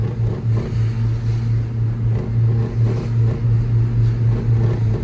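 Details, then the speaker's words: New-generation Saab 900 in first gear around 3000 rpm: steady low engine drone with a faint buzzing rattle, first blamed on the dashboard but traced to a loose side mirror held by clips. "it's the mirror. It's been the mirror the whole time."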